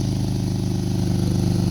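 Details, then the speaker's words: 2012 Jeep Wrangler 3.6 V6 idling: rapid, even puffing from an exhaust leak on the driver's side, where the crossover pipe meets the intermediate pipe flange, with rotted, thinned bolts and a separated joint; fixed with split flanges and long bolts. "now the leak is on this side it's the driver's side there's this flange right here right this is the crossover pipe right to that flange if you look at the bolts they're all rotted they're thinned out"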